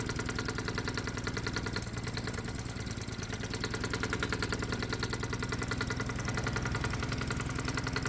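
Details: Low-compression gasoline lawnmower engine in hot-bulb semi-diesel mode, on 100% diesel with the spark plug disconnected and the stack torch-heated: single-cylinder thumping near 200 a minute with an uneven, stumbling beat; rough running at light load.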